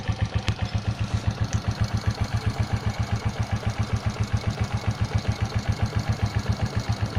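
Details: 2004 Suzuki Shogun 125R, clutch plates, clutch housing, cam chain and its rubber replaced a year earlier, idling: a regular knock of about four beats a second over the low engine note; engine knocking noise at idle, cause not pinned down.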